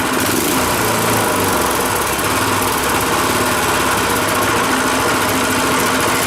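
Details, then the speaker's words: Rototiller single-cylinder engine after carburetor cleaning, warm after about 20 minutes running, fuel off running dry: steady even putter settling into smooth low idle, no misses or knocks; idles right down before quitting. "Idles right down too, eh?"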